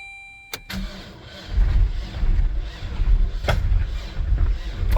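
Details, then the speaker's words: Car with no working clutch, cranked in reverse on the starter to move it: slow, labouring, uneven low thumps, roughly one or two a second, as the starter strains against brakes that are locked up solid. "We're going to try and fire it up in reverse. See if the starter motor gets us moving."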